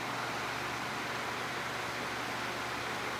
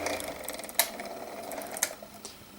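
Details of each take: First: Vintage 12-inch Windmere oscillating fan after freeing and oiling the motor, running on medium and high: even, steady whoosh of air with no ticking, rubbing or wobble; normal fan running. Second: Small six-inch desk fan, model 6HK, before oiling: dry scratchy whirring hum with occasional sharp ticks; needs oil, likely dry bearing, possibly unbalanced blades.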